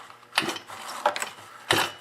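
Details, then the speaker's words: Stihl MS180C chainsaw with Easy2Start spring-loaded recoil after new 3.5 rope fitted: three quick pulls, each a short bright zip and clatter of pawls catching, rope retracting cleanly; recoil starter works normally. "but this one it is spring-loaded as you can see there's a bit of stringiness to the rope when you go to started"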